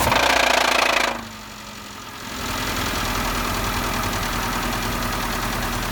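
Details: 2012 Renault Logan K7M after start-up: steady firm knock about four beats a second through idle; broken catalytic converter debris drawn into cylinders spun the rod bearings; drive belt also possibly noisy.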